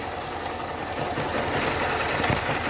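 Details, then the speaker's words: Start 160 motorcycle engine, warm, idling in neutral: fast, light metallic chatter riding over the idle, steady with engine speed; slack cam chain from a noisy cam chain tensioner. "tensor acionador da corrente de comando tá essa peça aqui ó ela dá um barulho no teu motor e eu vou mostrar para vocês agora em primeira mão"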